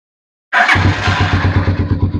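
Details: Vperman 150 motorcycle still in first gear, restarted with the clutch pulled, clutch switch wire allowing start: starter catches quickly and the single settles into a steady, even thumping idle with no misfire. Normal start.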